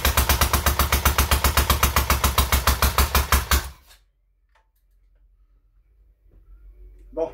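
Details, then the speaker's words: Freshly rebuilt K750 engine at first start-up: uneven, lumpy low-speed chuffing for under four seconds then dies; only one cylinder firing, owner suspects spark plugs; engine itself quiet, only exhaust noisy. "j'ai qu'un cylindre qui pète, mais ça c'est pas bien méchant. Il marche déjà."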